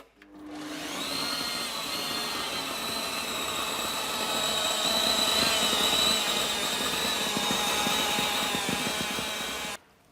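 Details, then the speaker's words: Festool CS70 EB Precisio table saw, customer reports it speeds up and slows down: high motor whine wavering in speed with gritty crackle, apparently sparking where brushes meet commutator; burnt brush holders suspected, not confirmed. "It does sound like it's speeding up and slowing down, but it also sounds like there's some some kind of sparking sound coming from the where the brushes meet the commutator."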